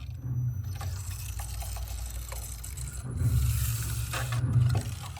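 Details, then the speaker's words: Lamborghini Huracán BWI MagneRide magnetorheological damper on a dyno bench before repair: deep rhythmic churning and gurgling knock growing louder as compression and rebound speed rise, from gas-oil mixing; worn damper with foamed oil. "But as the compression and rebound speeds increase, the graph becomes more distorted. You can also hear it knocking. This is due to two main reasons. First is gas-oil mixing."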